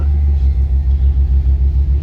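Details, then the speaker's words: Lifted 2001 Ford Excursion with a replacement 2002 engine from an F350 with 290,000 miles, at idle: deep lumpy stumble, about five or six dips a second, a misfire from a couple of failed ignition coils. "you can definitely hear the misfire going on right now."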